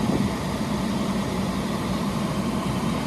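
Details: 12V roof-mounted air conditioner, heard from outside: steady even rush of air with a low hum, no rattles or surges; the noise is just airflow like a fan on full blast, normal running, blowing very cold.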